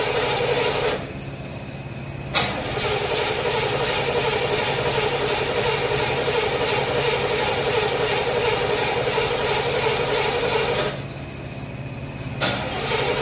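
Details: Chevy stored since 2010, first start in 15 years on old gas and a weak battery: cranks, catches and runs at a fast, slightly uneven idle, then is cut and restarted; rough running after long storage, cause unconfirmed.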